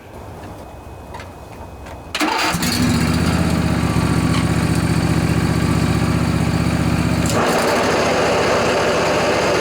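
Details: John Deere LA145 riding mower, 48-inch deck, cold morning around 35°F: runs steadily, then much louder and rougher when blades engage; worn deck spindle bearings, fixed by replacing them.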